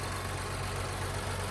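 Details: Stock Nissan 400Z twin-turbo V6, idling at an auction yard with the hood open: steady, even low hum with no knocks or misses, a smooth, clean normal idle.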